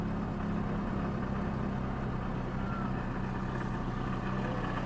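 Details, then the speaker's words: VAZ 2110-2112/Priora, hot engine, heard under the hood: a steady low droning hum at idle, still present with the alternator belt off and the belt rollers new; water pump bearing suspected. "вот ребята звук на горячем салоне ну и сейчас под капотом звук вроде отсюда идет"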